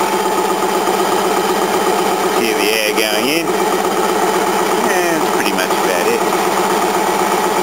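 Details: Restored 1950s-era air compressor, rebuilt about 3–4 years ago and heavily used, feeding a second tank in the carport: steady, even low chugging about a beat and a half per second, smooth and quiet; normal running.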